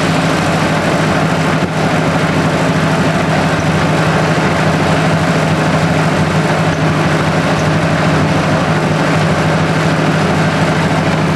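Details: 1964 Ford 4000 tractor, carburetor fitted 2010, 91 hours on tach: loud steady low rumble at idle with no knocks, misses or hunting; oil pressure about 40 psi, charging, never runs hot; normal idle.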